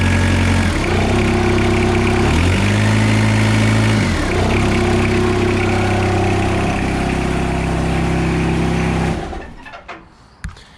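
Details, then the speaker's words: Suzuki Vitara TD diesel at idle: a chirping whirr comes and goes every few seconds over the steady clatter. The oil-filled, spring-damped belt tensioner is flicking and faulty. "so everything underneath done now there's just one problem with the belt tensioner on this and i'll start it up and show you up foreign see how you can hear that noise now and then it goes"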